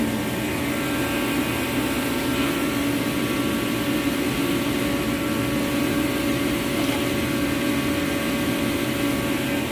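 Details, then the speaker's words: Reddy Heater Pro 150 heater, after nozzle cleaning and reassembly, runs with a steady, even roar and constant fan hum, no sputtering or pulsing; nozzle believed the main fault, airflow still to be adjusted and fuel line changed. "Alright, we call that a fix for now. But I still have to adjust that airflow, and when I get the fuel line in, change that fuel line. But I think that nozzle was the main thing."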